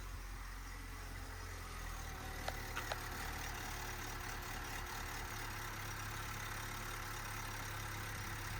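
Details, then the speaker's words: Project Corsa on a newly wired 4-channel ignition module, idling around 1,000 rpm: a low drone with an uneven beat and faint irregular stumbles; rough idle, skipping, cause unclear. "It sounds like it's skipping a bit. Don't know if it's the A or what."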